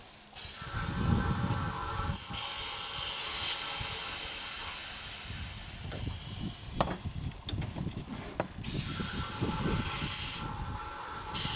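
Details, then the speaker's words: 2000 Chevy S10 4WD, 4.3 L V6, intermittent long crank: steady sharp hiss as 30–40 psi test pressure bleeds straight off through fuel pump check valve; leaking check valve, fuel pump needs replacing. "so 40 or 30 PSI Let It Go bleeds right off right through the check"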